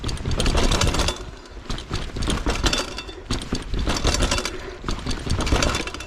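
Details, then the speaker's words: 2010 Cube Analog cross-country mountain bike ridden down steps: bursts of harsh metallic clatter on each step drop, chain and drivetrain rattling loudly over the bumps; rider calls the transmission sound terrible; cause unknown. "Oh my god, that transmission sound. Whoa."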